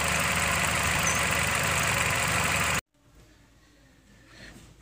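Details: Nissan X-Trail petrol engine idling unevenly with a recurring stumble and shake, heard at the exhaust, check engine light on; misfire from iridium spark plugs past their service life, cured by replacing them.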